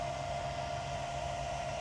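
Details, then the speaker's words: Newly installed inverter in a 2023 Kia Sportage Hybrid, wired to the 12-volt battery, charging a battery with the charger plugged in: steady mid-pitched whine over a low even hum from the inverter; normal operating noise under load. "Did you guys hear that? Actually a little bit of sound coming out of the inverter"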